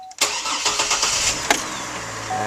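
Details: 2004 GMC Envoy/Chevy TrailBlazer after fuel filter replacement, fuel pump primed with several key turns: short crank, fires at once and settles into a steady, even idle with no fuel leaks; normal engine start.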